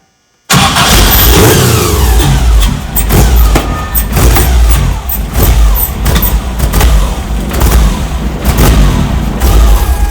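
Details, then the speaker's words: Subaru EJ25 engine swapped into a VW Bus starts after crank sprocket and pulley replacement and fuel relay refitted, spark on all four; it catches, rumbles up and settles into a low, slightly uneven idle, running rough but firing on all cylinders. "all right so success is running the idle and rough for a while"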